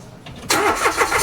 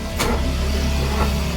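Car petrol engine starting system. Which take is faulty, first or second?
second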